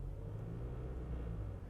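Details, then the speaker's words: 2020 Volkswagen Jetta GLI Autobahn, 6-speed manual, revved lightly in Comfort engine-sound mode: deep rumble rising with a loose buzzy rattle on the low end; the awful rattle's source remains unfound and unfixed. "can hear that awful rattle that neither Chris from the Topher nor I have been able to quell."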